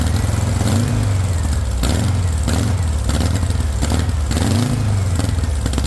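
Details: VW engine with straight pipe, no exhaust, first startup on starting spray: it catches and revs unevenly, surging and sagging; no fuel pressure, not getting fuel yet, owner suspects a bad fuel pump; oil pressure rose to about 40.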